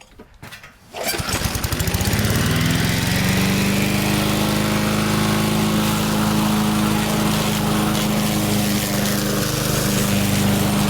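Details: Restored barn-find Murray push mower, Briggs & Stratton engine, primed and pull-started outside, cutting grass: catches fast, then a steady, even high-pitched drone holds speed without surging. Normal running under load, though it seems to burn a little oil; owner suspects a possible valve adjustment.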